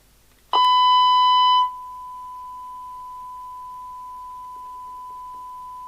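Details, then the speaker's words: 1988 DNT Transit 40 CB27/81 UK FM CB radio after repair. The no-receive fault was a small corrosion patch on the PCB, cleaned with IPA and resoldered. Speaker reconnected: a clean steady test tone of about 1 kHz plays with no crackle or dropout, so receive works normally. "Imagine it helps if I plug a speaker back in, doesn't it? Yeah. Oh, it looks like it's working now, doesn't it?"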